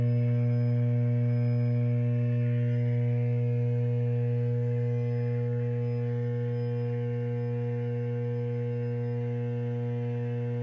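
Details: Transformer T703 at bay D06, VT Y-phase, running with more vibration than normal: loud, steady low drone with a buzzy edge, no change over time; abnormal transformer hum.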